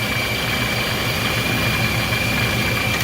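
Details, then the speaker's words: Procharger stage 1 kit car at idle after belt re-tensioning; the belt had been shredding by rubbing and now clears. Steady idle with a constant high supercharger whine and no rubbing or chirp. Belt drive is healthy. "see if I can zoom in at all that's what you learn but it's definitely not touching anymore"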